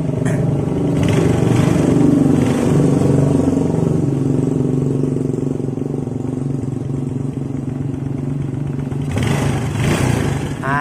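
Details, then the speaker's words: Yamaha Jupiter Z after its too-loose valve clearance was adjusted: small single revs, then an even, steady beat with the top-end ticking gone. The engine runs smoothly, confirming the valve clearance was the problem. "lagi ya Lur untuk suaranya Oke berarti permasalahan hanya di bagian setelan klep Ya kurang kencang"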